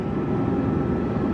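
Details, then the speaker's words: Duramax diesel after a build, road test after a 5-minute run cycle, holding good oil pressure with coolant temperature rising: smooth, even drone at steady speed, no knocks, misses or rattles; sounds healthy. "Sounds like a runner."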